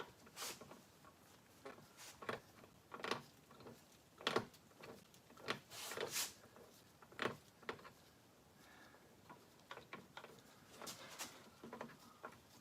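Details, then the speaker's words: Volvo 122S gearbox being rebuilt, turned by hand with no oil: faint irregular light ticks and clicks, probably just gear slap from having no fluid. "I think it's just that little slap we don't have any fluid in here or anything"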